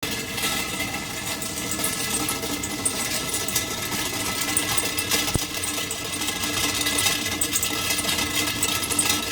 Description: This is how to stop a strange noise coming from underneath the beverage refrigerator compressor compartment ✅️👍👍👍👍👍